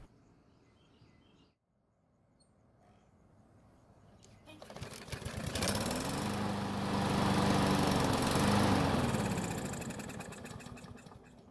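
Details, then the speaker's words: Yard Machines walk-behind mower that wouldn't start, fuel primed directly with air filter off: fires on the shot of gasoline, revs up a few seconds then sags and dies; runs only while primed, carb or fuel suspected. "now that was not your standard test run in fact it seemed like the engine wanted to stay running"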